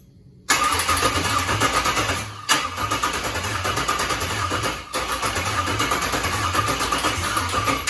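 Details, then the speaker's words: 41-year-old car with LS-swap 36,000-mile all-aluminum engine, adapted wiring harness, fuel pump primed: starter spins at a strong, even cranking beat for several seconds with short breaks but never fires; cranks but no start. "Well, it's nice to hear it crank. Yeah. Yeah. I'll give it that. That's a really good sign."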